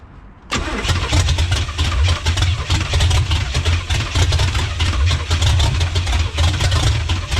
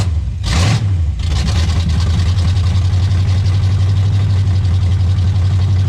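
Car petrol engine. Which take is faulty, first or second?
first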